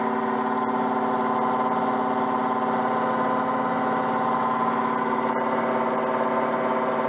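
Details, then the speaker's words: Peugeot 104 GLS on stands, engine idling with wheels spinning: steady whirring drone at a fixed tone, occurring only with the right front wheel; wheel bearing has no play, no binding or jerks, cause unclear. "voilà le bois qui se manifeste alors et se manifeste seulement avec la roue droite pas avec la roue gauche quand je fais l'expérience comme ça"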